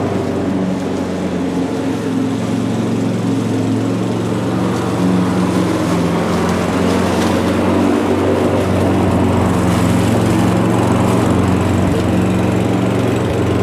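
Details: Mountfield budget push mower with entry-level Honda vertical-crankshaft engine, revived old unit, cutting grass: steady even buzz holding pitch, no surging or misfire; normal healthy running under load.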